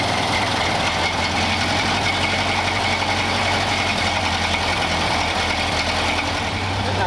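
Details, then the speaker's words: 1931 Ford Model A four-cylinder, fuel tank sludged from storage: even, steady tick-over with no misses after the air-bound fuel line from the bowl to the carburettor was bled; warmed up, sounds like a stock Model A. "got it pretty warmed up it's ID good sounds like a stock Model A"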